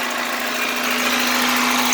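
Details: 1989 Chevrolet Celebrity 2.5L four-cylinder automatic, 255,000 miles, after replacing the coolant temperature sensor: steady, even idle with a constant hum and no knocks or pinging over a hiss; runs normally, no leaks.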